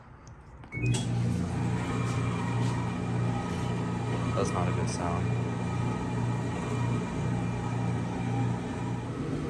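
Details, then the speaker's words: LG gas dryer after gas solenoid valve replacement for no heat: loud steady low drone and rough rumble instead of quiet tumble; drive belt installed wrong, later fixed by reinstalling it. "all right guys it fixed the issue I just put on the Belt wrong I had to go to war fight it but bel's finally on"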